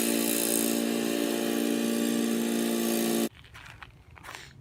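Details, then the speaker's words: Old Murray riding mower, 12 hp Briggs & Stratton, cutting grass in 30–33 degree heat: steady, even engine drone holding speed under load, no misses or knocks, then cuts off; normal running under load. "I'd say the the old Murray didn't do too badly other than needing just a little pressure wash I think she's ready to rock for probably a while"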